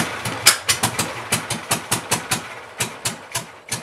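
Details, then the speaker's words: Mystery VW engine for a 1959 ragtop, after new plugs and wires (cylinder one had no spark), a cleaned carburetor and adjusted valves. An uneven popping idle, three or four chuffs a second with irregular gaps; rough idle; owner thinks it needs a new carburetor. "all right not too bad my battery's dying on me so that's all I could really show but uh I think I named I need a new carburetor but this thing can run so I'm pretty happy with that"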